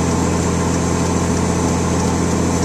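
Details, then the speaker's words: Diesel truck under load that lost boost pressure, with EGTs rising to 1500 and no power on a hill; steady idle with a fast, even puffing tick from a blown exhaust manifold gasket. "I can hear the exhaust the exhaust leak right now so yeah I blew that [ __ ] gasket"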